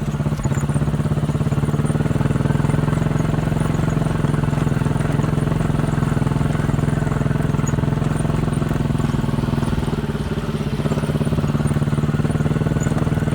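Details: 200cc Chinese Honda-clone quad bike, warmed up after about 10 minutes of riding, choke half on; uneven, lumpy running with popping misses ("missing and farting"); misfire.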